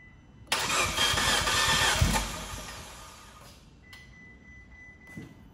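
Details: 2015 Fiat 500C Abarth MultiAir, sat a month in hot Texas July: starter whirs, engine catches briefly, runs rough and fades while re-priming by cranking; the MultiAir unit lost its oil prime as oil drained out.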